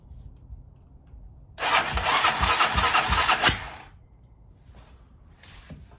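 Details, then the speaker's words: 2007 Hawk 250 Chinese dirt bike, starting fluid in intake and choke applied: two seconds of hurried starter churning with uneven pops, then dies; back sputter while cranking, not yet running. "Well, that was a little bit of a back sputter. You heard it. So it looks like it's gonna run."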